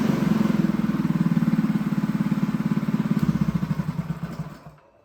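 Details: Honda GX200 clone go-kart engine after fitting tank and clutch, choke on: uneven single-cylinder chug of about 3.5 beats a second that fades and quits, starved of fuel; carb needs re-jetting, lean running.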